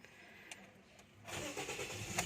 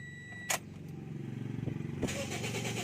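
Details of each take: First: 2014 Toyota Vios after its hard-starting problem was repaired: quiet, then the engine catches promptly and settles into an even idle without long cranking, a normal start. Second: 2014 Toyota Vios: starter cranks for over a second with uneven rhythm before the engine catches and settles into idle; slow, reluctant hard start, cause not confirmed.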